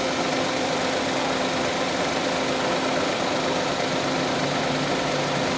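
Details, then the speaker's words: Suzuki Cultus 1000cc automatic idling in the workshop after a test drive, with the radiator fan and AC on; the fan's steady rush is louder than the engine, and the idle underneath is smooth and quiet, with no vibration, knocks or misses. "Fan की आवाज़ आ रही है, fan engine की आवाज़ इतनी नहीं है।"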